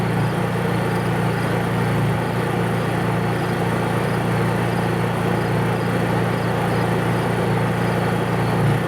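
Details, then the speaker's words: Honda EU3000is inverter generator running: steady, even engine hum with no surging or misses; normal healthy running, very quiet. "you can't hear this thing you can't hear that Honda generator run"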